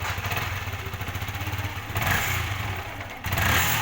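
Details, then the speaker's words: Yamaha R15 motorcycle in cold weather: engine runs rough and uneven, stuttering on a light throttle blip and then stalling; malfunction indicator lamp came on. "Saat cuaca dingin, sulit dikendarai, motornya tersendat-sendat."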